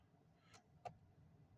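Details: Kia Ceed fog lights not working though new H8 LED bulbs fitted: two sharp clicks about a third of a second apart as the loose, hardly used stalk switch is pushed in; relay ticking from a faulty stalk contact.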